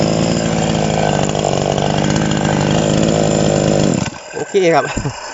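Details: TOMITSU 5800-body chainsaw, sprocket version, no load: steady, even high-pitched two-stroke scream held at full revs, then a clean drop off; healthy chainsaw at high revs.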